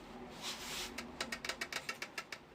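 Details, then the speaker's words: Kukirin G4 electric scooter ridden over potholes: a quick run of about ten sharp high squeaks, roughly eight a second. Owner suspects the top of the shock absorber where the bolt enters; not confirmed. Squeak over bumps. "Мужики, я столкнулся с такой проблемой на своём G4, что вот такой вот звук у меня появляется, когда я езжу по ямкам."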